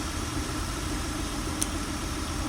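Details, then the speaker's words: 2003 Acura TL with rough idle and P1399 random misfire code: uneven choppy idle with one sharp click; swapping coils shows a bad ignition coil pack, not the spark plug. "No change. Yes. Okay. That's the problem. Bad coil pack."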